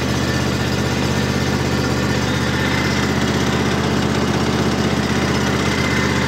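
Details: Wolf Garten Expert 92.160 H garden tractor's small single-cylinder engine idling after starting with mower deck lever raised: steady even beat about four pulses a second, smooth, no misses; normal idle.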